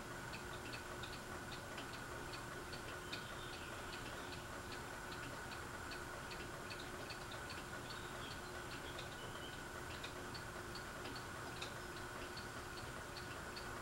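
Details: Fasco Vanity Fair ceiling fan with a broken flywheel: light, steady ticking several times a second over a soft hum from the loose housing. The owner thinks someone tried to remove the flywheel.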